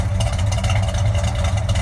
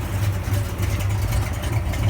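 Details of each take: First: 1966 Chevelle V8 with Holley carburetor and a suspected accelerator pump leak; steady deep idle with light uneven metallic chatter — exhaust pipe rattling on one side, not yet inspected. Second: 1966 Chevelle, 360 horsepower V8 with Holley carburetor, after tightening up suspected accelerator pump and intake manifold leaks; deep lumpy but even burble at idle, steady beat, no miss or tick — normal idle, runs very smoothly.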